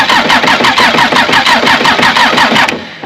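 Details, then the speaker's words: Bobcat 773 diesel skid steer that died while working, after replacing the in-tank fuel pickup: steady cranking about three compression strokes a second with no firing; air still in the fuel pump is suspected. "I want to guess there's still some air in the pump, so we'll just pump this down here a few more times."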